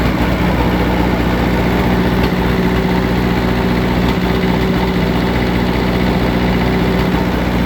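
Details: Taylor/Perkins diesel idling roughly with an uneven, irregular pop about three times a second: one failed cylinder with heavy oil blow-by.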